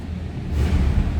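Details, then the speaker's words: 1994 Chevrolet Silverado 1500 extended cab 4x4, 5.7 L 350 V8, automatic with overdrive, just after a cold start with oil pressure up: steady low rumble with smooth even beat, no knocks or ticks; normal cold idle. "Again, 5.7 L 350 V8. Sounds like a stock 1994 Silverado half-ton to me. Good sounding truck."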